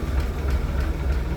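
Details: 1965 Ford F100 project truck, inline six with one-barrel carb and newer plugs, idling with the hood open: low, even idle with a soft steady pulse and no knocks or misses; smooth, healthy running.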